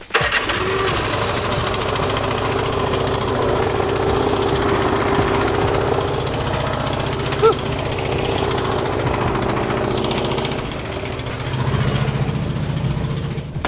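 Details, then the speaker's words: Snowblower single-cylinder engine running steadily and evenly, no more sputtering; owner suspects earlier sputter was water or debris, now cleared; normal running. "so when I started the snow blower a couple of days ago it was really sputtering and uh now it sounds good maybe there was some water or debris"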